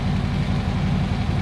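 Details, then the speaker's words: 2014 Harley-Davidson Electric Glide started in neutral for an oil change: the oil light goes out, and the V-twin idles steady and even with a deep beat and no ticking or knocking; it sounds healthy. "Oil light goes out, we'll let her run, sounds really, really good."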